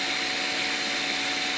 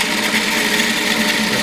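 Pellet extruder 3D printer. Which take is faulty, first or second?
second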